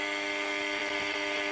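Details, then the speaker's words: Unitra Eltra Alicja R-701 radio on long wave, should receive Warszawa I: only a steady, even hum with no station or speech, long-wave range not working; potentiometers dirty and need cleaning, though adjustment works. "buczeniem nie jesteśmy w stanie usłyszeć potencjometry widać do przeczyszczenia bo nie kontaktuję też regulacja działa"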